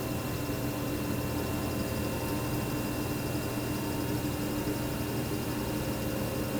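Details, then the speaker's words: Alienware R13 gaming PC with downclocked i9, under gaming load: constant low hum and rushing drone from the cooler pump with a thin steady high whine, coil whine mostly from the motherboard VRM; loud, peaking 49.7 dBA. "As for noise, the R13 is loud. We can hear the pump noise constantly, there's coil whine during gaming, and the mechanical hard drive adds that mid-2000s gateway vibe."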